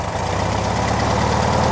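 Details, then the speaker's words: 1969 VW Beetle, air-cooled flat-four, after a Pertronix Flamethrower distributor install and timing adjustment, with the vacuum advance line reconnected: a steady, even idle with a regular low pulse and no misses or knocks. RPMs rise slightly from the added advance. Normal idle. "You could hear the RPMs come up a little bit. That's because we've got a little bit of advance, additional advance, it sounds like."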